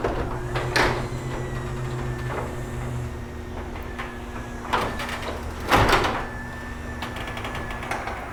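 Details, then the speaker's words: Chamberlain RJ0101 wall-mount garage door opener safety test with a 2x4 blocking the door: motor hums, stops and reverses on hitting the block, with knocks and faint warning beeps; normal obstruction reversal. "reverse perfect and you may be able to hear the unit is beeping it means it sense something was blocking its path"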